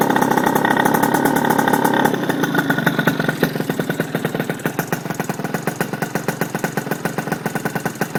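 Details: RS 80cc small single idling with a sharp, puffy tick on every firing pulse, settling after a blip; exhaust leak.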